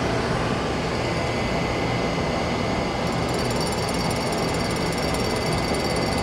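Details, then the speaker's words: Sharpening a small carbide end mill on a grinder with dust collector running: steady motor and collector hiss, with a faint fine hiss midway as the wheel barely touches the carbide, recreating the original primary clearance; correct light touch-off. "so there I've just barely touched it and if you look real carefully you can see we're uh pretty much creating the same primary clearance that was on there"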